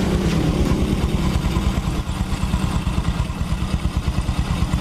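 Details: Honda Supra X 125 after engine repair, still smooth after riding: even, steady exhaust pulses through the revs, no knocking or rattling; engine runs smooth and healthy.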